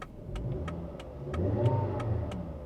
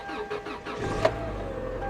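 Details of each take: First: Subaru Outback at auction: low, uneven idle sagging and surging as if about to die, with steady relay tick about four a second; odd electrical faults, AC and fan switching on and off with headlights. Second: Subaru Outback at auction, 111,000 miles: a few quick cranking pulses, one sharp catch, then steady even idle; fired right up.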